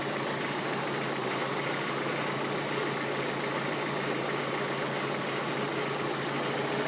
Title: 206 GTI 2.0 Misfire